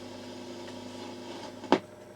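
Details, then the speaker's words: Defiant T12 reel-to-reel tape recorder with low output, switched on before play: low, steady buzzing hum from the amplifier with one sharp click near the end; motor also slightly noisy. "getting a little bit of noise out of the amplifier then"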